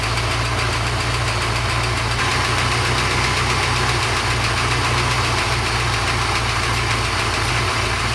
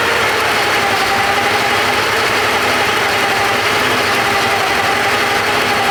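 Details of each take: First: Porsche 928 after oil pump work: steady, even idle with constant low rumble, no whine. Normal idle. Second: Porsche 928 V8 idling with all auxiliary belts removed: steady high whine over even idle, unchanged by belt removal; loose oil pump pulley rubbing the timing cover.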